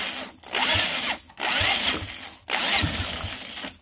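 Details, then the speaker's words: Home-built see-through engine on EFI, first start attempt with starter fluid: about a second of fast cranking, a pause, cranking again, only a couple exhaust pops; sparking at bottom dead center instead of top dead center, timing wrong. "it's cranking but it doesn't seem like it wants to start in the slightest I heard a couple pops come out of the exhaust but that's about it"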